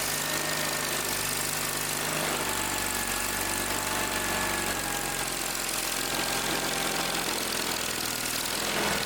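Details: Old Simplicity tractor engine that wouldn't start, after repair: loud, steady, even idle with no stumbling or dying out; running properly on its own.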